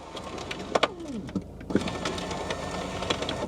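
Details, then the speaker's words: 17-year-old Volkswagen Passat front driver's power window: harsh crunching clunks and a strained, sliding whine as the glass moves, like a paper shredder; the window regulator or motor is grinding. "that sounds horrible like a paper shredder right we'll leave that alone"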